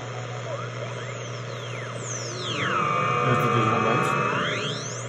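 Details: Telefunken Jubilate receiver on 80-meter CW band with newly built internal BFO powered from the 7 VAC dial-lamp supply: clear whistling code tones sweep down and settle near one kilohertz over steady low hum; BFO working properly.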